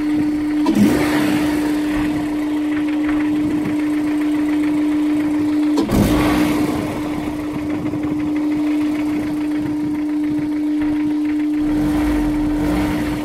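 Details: Honda S2000 at warm idle, five minutes after cold start, light fast ticking knock over a steady hum; rod knock suspected but unproven; idle dips after blip from faulty idle air control valve.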